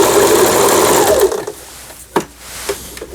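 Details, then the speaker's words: Lion JF1012 sewing machine, about 25 years old, after repair of previously non-working forward/reverse button: stitching in reverse, quick even chatter for about a second then winding down, no knocks or binding; reverse works normally. "자, 후진 정상 작동되고 있고요."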